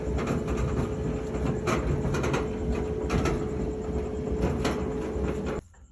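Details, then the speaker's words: Whirlpool dryer: heavy constant rumble with uneven thumps and rattles, likely from worn drum support rollers; the drum is also badly damaged and probably unusable. "she's hot but you can hear that noise I'm going to open her up probably have some bad rollers and that drum is totally destroyed"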